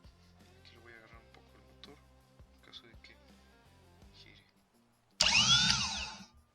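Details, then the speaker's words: 2018 Chevrolet Malibu starter motor (clicks, no crank) bench-tested with power supply, pin B energized: sudden high whir spinning about a second and a half then winding down; armature now turns freely with strength, unlike the first test. "Ese ruido nos indica que el ejecutor está girando ahora. Anteriormente en la primera prueba, pues no hacía nada."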